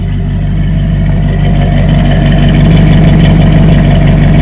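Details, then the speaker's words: Barn find 1967 Chevrolet KC10 pickup, carbureted V8, long sitting, new battery: deep steady low rumble, even beat near three per second; smooth, regular idle that purrs. "That sounds pretty good. Not bad. Not bad at all."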